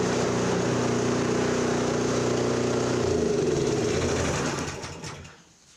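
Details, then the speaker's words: Toro 721 snowblower, small single-cylinder engine, after fixing a no-start: runs steady and even at a fast chatter with no misses or knocks, then shuts down and coasts to silence; normal running, only oil changes needed. "There we go. If we go any further with these, all it's going to be is oil changes, because everything else is working fine on them."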